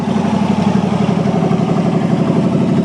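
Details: 1963 Allis-Chalmers loader with 1978 Monte Carlo 305 V8, first run after 5.5 years: steady even idle with regular firing pulses, slightly lumpy while still cold, running cleanly; normal cold idle.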